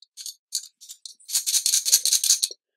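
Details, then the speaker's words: Rapco dry aircraft vacuum pump, an overhaulable unit, with the shaft turned by hand. Light dry rattling comes in short bursts as the vanes tap the housing; this rattling is normal. "it sounds like to me on this end there's a bunch of things rattling in here and that's normal actually that's a very normal thing to hear all that rattling in there"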